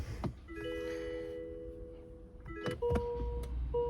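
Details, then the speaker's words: 2011-2014 Hyundai Sonata hybrid front driver's door: window motor whirs in short bursts with steady hum but the glass doesn't move after a loud snap in rain; motor good, window regulator cable broken, regulator needs replacing. "the first thing to check is to make sure see the motor is good it's just spinning in there but the cable is all is broken so so the window isn't moving now"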